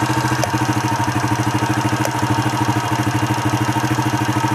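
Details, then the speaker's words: Honda Astrea Impressa motorcycle, noise appearing around 60°C when hot; rear area cooled from 77 to 43°C yet a regular light tick, about two to three per second, persists at idle; source not yet pinned down. "Oke tapi suara ini masih ada ya masih benar-benar ada"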